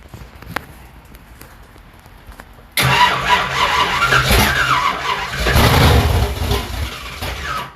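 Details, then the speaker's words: 1972 Ford Gran Torino 429 big-block V8 first start, weak battery on charger, starter solenoid jumped by wire due to wiring issues: engine catches but a harsh whirring squeal continues; starter appears to stay engaged. "starter keeps going see it"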